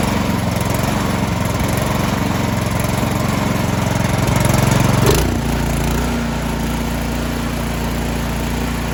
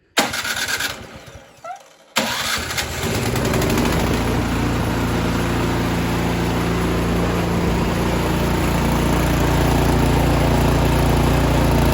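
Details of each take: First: Troy-Bilt 2410 snow blower, newer one-year-old single-cylinder engine stored all winter that ran rough at full throttle, after quick carburetor cleaning: loud, even drone at full throttle, settling cleanly after throttle change with no misses or surging; running smooth. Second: Last-year Troy-Bilt 2410 snow blower stored all winter, choked and primed, started on the electric starter at full speed: catches and runs steady but rough with unevenness toward the end; likely gunk in the carburetor.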